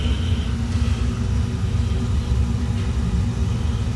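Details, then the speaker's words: Miller MOC 80 oil furnace burner after nozzle replacement and electrode gapping, retried once excess oil burned off: a deep, steady, even rumble with no sputter. It fires right up and runs smoothly. "you can hear it fire right up. And I think we're good to go."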